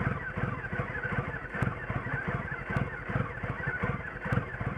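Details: 2006 Triumph Rocket III Classic motorcycle idling roughly with an uneven, stumbling beat and occasional harder thumps; it idles rough until it stalls, then runs okay after a restart.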